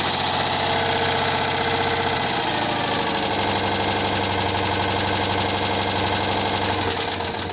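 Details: Citroën 2CV air-cooled twin after overhaul with Burton 652cc upgrade kit and resealed oil cooler unions, first test run: catches after a couple of seconds, settles into quick even patter, no knocks; healthy.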